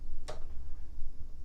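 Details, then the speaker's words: Aprilia Atlantic 500 scooter, 650 miles, unused over ten years, new battery: at key-on a sharp relay click then faint tick from the rear, with no fuel pump whine or prime; engine does crank. "yeah no fuel pump when you turn the key on [Music] you can hear you can hear a relay clicking back here can you hear that"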